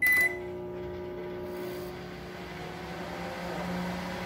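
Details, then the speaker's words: Microwave oven running after repair: harsh, buzzy mains hum with a rough edge; the strange noise is blamed on the high-voltage capacitor, to be replaced. "É mas tá barulho estranho esse barulho é do capacitor é que esse amigão que é um e vamos ver"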